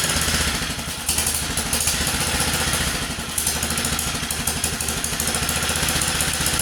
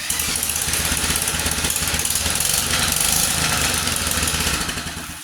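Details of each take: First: 1947 Whizzer Model H single-cylinder engine, freshly revived and idling as it warms with the choke taken off: quick, steady putt with crisp exhaust pops and no knock or rattle; it idles poorly until warm. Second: 1947 Whizzer Model H single-cylinder, cold on choke with an oversized jet still running rich: uneven, lumpy popping at about three beats a second; rough idle until it warms up.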